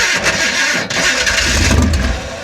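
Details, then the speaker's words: 1966 Chevrolet Impala SS parked over 10 years, fuel fed straight from pump to carburetor with no filter: engine turns over and catches roughly, revs stumbling and sagging; engine flooded with gas. "see it's flooded with gas the engine's flooded with gas"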